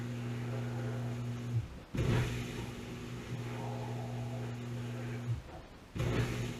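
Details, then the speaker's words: Whirlpool WDF330PAHB1 dishwasher that was not spraying water: after disassembly and reassembly with no blockage found in pumps or lines, a steady, unstrained low motor hum with a couple of brief pauses. Wash pump running normally. "we took it apart put it back together didn't find anything started it up again seems to be working this is a whirl poool"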